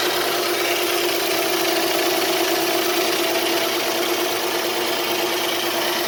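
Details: 2007 Dodge Charger V6 at idle; a light, quick tick runs steadily over an even idle and keeps pace with engine speed, cause unclear.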